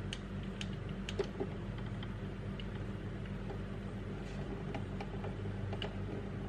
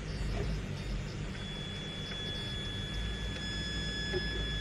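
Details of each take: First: Traxxas TRX4 crawler with a D1RC x Hobbywing Fusion Thor 1800KV brushless motor at a very slow crawl: no motor whine, unlike the humming brushed motor, only soft gear and drivetrain ticks over a low rumble; normal, healthy low-speed running. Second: Traxxas TRX4 crawler with D1RC/Hobbywing Thor 1800KV brushless motor under load at low speed: low drivetrain rumble with thin steady high whine as motor forces out torque; cause of whine uncertain.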